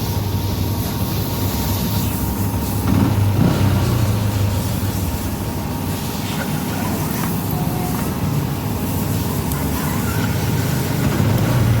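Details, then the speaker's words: Yamaha Jupiter MX New with new battery, after the overheating fuse housing fault was fixed (not starter relay, coil or solenoid): small single-cylinder engine runs steadily with a low thrum; starts and runs normally. "'s still running now. Let's try turning off the ignition. Is it still connected? Yes. Yes, and it can still be started."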